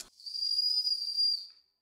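A high, shrill whistle holds steady for over a second, then fades away; the whistle valve is sticking open.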